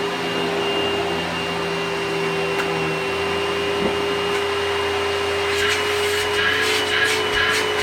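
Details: Simplicity 6570 upright vacuum, Tacony-made design, secondhand and long-lasting, running on carpet: steady even motor hum with clean high tone and brush noise, no grinding or surging; a more pleasant-sounding motor, though perhaps less powerful.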